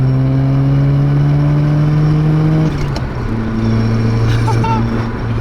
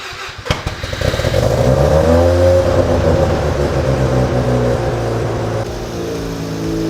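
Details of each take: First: Mazda RX-7 FC3S with freshly rebuilt rotary engine during break-in, kept under 4,000 rpm; smooth, even rotary buzz at mid revs, easing off and picking up cleanly with no misses or knocks, running well. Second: Mazda RX-7 FC3S Turbo II rotary, sat in a barn 14 years, brittle belts, compression around 90 PSI: catches, revs up, then drops to a lumpy, uneven idle with soft pulses; runs decent but low compression, needs a rebuild.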